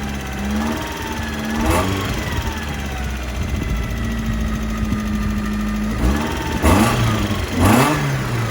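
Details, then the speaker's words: 1991 Mazda Miata 1.6 engine, overheated by the previous owner, started with oil in the cylinders: stumbles unevenly between sharp rev blips, never settling into a clean idle, smoking from tailpipe and radiator; blown head gasket, bottom end believed good. "uh oh wow okay well it started um it smoked a lot of it definitely needs a head gasket"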